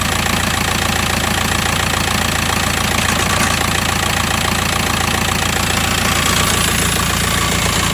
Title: VW T5 2008 1.9 Tdi rattle noise